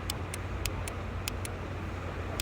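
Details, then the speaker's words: Mahindra XUV500 with AC blower fan not working, ignition on, blower relay tested in its socket: sharp light ticks in pairs over low engine hum; relay switching on normally, relay not the fault. "ये जो relay का sound आ रहा है मतलब relay on हो रही है ये रिले की प्रॉब्लम नहीं है"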